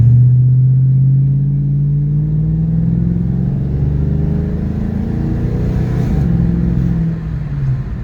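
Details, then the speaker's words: 1992 Ford Mustang GT 5.0 driven at steady cruise after swapping the blown rear end for a 3.73 rear end: deep, even engine rumble, pitch easing then holding, no knocks, clunks or whine; runs normally. "She runs good, real good."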